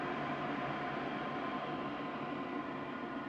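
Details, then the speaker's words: Modified IQAir Compact air purifier with a 309 CFM inline centrifugal fan replacing the seized motor, turned down to low speed on a ceiling fan controller, quieter than original: steady, even whir with faint constant tones, no rattle or scrape; normal. "this is actually quieter than the original iqr machine was and i can turn the uh speed up and down with my ceiling fan control that i installed"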